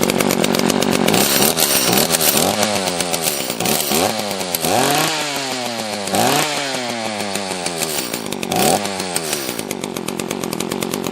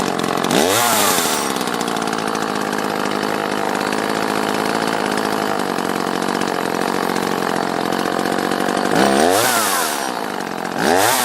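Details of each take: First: Used Echo CS-330T top-handle chainsaw, non-runner, carb screws set a half turn out: revs surge up and sag back unevenly instead of holding steady. Lean running, fuel starvation, owner suspects it ran out of gas. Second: Used Echo CS-330T top-handle chainsaw after removing a gasket that blocked the carb vacuum port: revs up cleanly, holds a steady high buzz, and drops back to idle without stumbling. Normal running.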